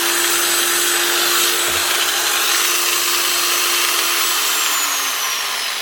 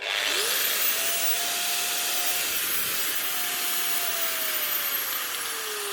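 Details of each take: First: Old variable-speed 110 V angle grinder: steady, fairly low motor whine with no speed-up or load change, only reaching about half speed; a wrong plug was ruled out, and the speed controller is suspected. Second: Old 110 V angle grinder after its miswired 110 V plug (wire left in the neutral pin) was rewired and the earth screws tightened: spins up quickly to a steady high whine, no rattle or grind, winds down smoothly; healthy.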